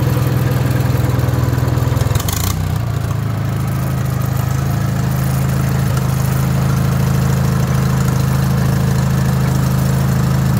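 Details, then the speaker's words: Wisconsin THD air-cooled twin on a wooden bench with a flush-mounted head said to run quieter: deep, steady thrum holding even throughout, no knocks or misses; running sweetly. "I just kind of thought that head was cool, but man, it definitely makes it quieter."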